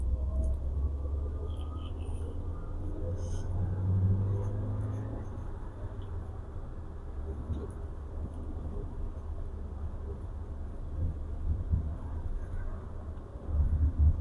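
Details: Toyota Avanza Veloz, 30,000 km, road test after repair of harsh noise on pull-away and deceleration (burned clutch plate damper after rear flooding): steady low rumble, no clunks, rattles or whine; drivetrain healthy.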